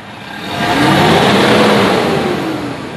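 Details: Toyota Vigo diesel revved to 3,000–3,500 rpm before injector cleaning, owner reporting poor acceleration, black smoke and slightly higher fuel use: rises smoothly to a strong even roar and falls back, no hiss or bogging; pipe judged not clogged.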